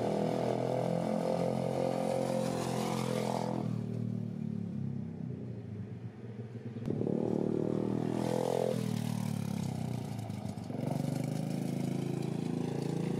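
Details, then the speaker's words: Pit bike trike build, small engine revving up and down with loose irregular clattering over the exhaust: chain slightly too long and no chain guide fitted, so slack chain slaps; half link planned to remove slack. "definitely that sound you're probably hearing is to chain it's a little bit too long so I got a half link for it which should take care of the slack and then it won't rattle but I forgot to put a chain guide on so it was just slapping over there so no big deal"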